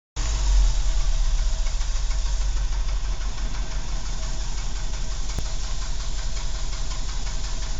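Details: Renault 12 Break petrol engine ticking over with a deep, slightly uneven low thrum and a faint rapid knock; source of the noise not identified.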